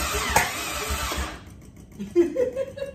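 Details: Toyota Crown won't start: starter churns in short uneven bursts and engine never catches; owner unsure whether spark or fuel pressure is at fault, plans to check spark on all six cylinders.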